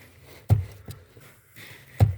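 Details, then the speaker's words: 1992 VW Passat B3 clutch pedal, crunch traced to the spring and bolt mount at the pedal box: with a tape-wrapped coin wedged between the steering column and pedal assembly, only dull thumps and no crunch are heard. This is a temporary fix. Quiet clutch pedal. "хруста нет но полумера решающую проблема хруста со временем от вибрации и от постоянных нажатий это не то выпадает из этого места и снова появляется характерный хруст"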